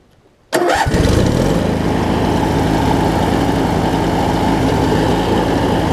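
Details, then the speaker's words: Craftsman riding mower with opposed-twin engine after fitting a replacement starter (original starter crunched and failed): cranks briefly, catches at once and settles into a smooth, steady twin-cylinder run. "I've got a new starter on it now luckily I had one here much better starts runs great now"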